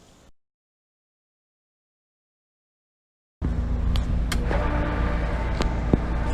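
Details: Pool pump after repair: the noise was believed to be seal and bearings but proved worse, so a new motor was installed and a pipe leak fixed. After a quiet pause it starts into a steady, even low hum with no knocking, running normally.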